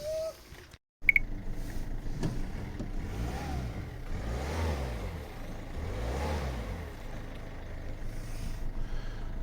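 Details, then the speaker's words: Citroën Berlingo 1.6 HDi diesel idling and revved twice after the air filter housing half and turbo hose were refitted, running smooth with no plastic buzz or rattle left; the plastic vibration noise is cured. "parfait plus de bruit de vibration allez ciao"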